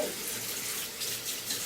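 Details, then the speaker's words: Mixer tap after its worn-rubber valve cartridge was replaced: water runs with a smooth, even hiss and no singing or humming. The noise is fixed. "как принимайте работу вроде не шумит"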